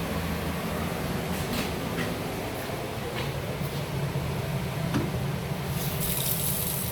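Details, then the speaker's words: Water system of a BBQ concession trailer on shore power: continuous water flow is confirmed at the faucet before the water heater is plugged in; even continuous rush of water with no sputter or air bursts; normal flow. "again continuous water flow before you ever plug the water heater in"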